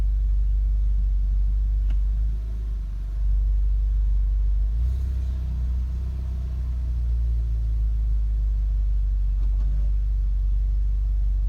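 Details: 2015 VW Golf R DSG, APR stage 2, cold or warm, in park or in drive on the brake: deep lumpy idle sagging and hunting, about four beats a second, near stalling, needle jumping; drives fine; new NGK plugs, coils, oil, cam adjuster magnets tried; cause unknown.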